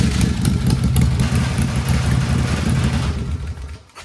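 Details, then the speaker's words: Chopper V-twin after a carburetor swap, with the accelerator pump possibly still clogged: a deep, even thump with loose tools rattling on top. It now pulls cleanly and runs healthy, where before it fell on its face. "Sounds like it's falling apart, but it's not. It's all these tools rattling on this. Gosh, that's It sounds healthy now."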